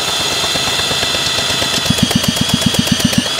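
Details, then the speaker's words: 1985 Honda Elite Deluxe scooter engine from salvage yard, turned over with a drill; drill whine with even pulses about four a second, strong regular compression beat; engine rolls over well, good compression. "Sounds good. This thing's gonna run. Guys, this engine rolls over really good. It's got compression."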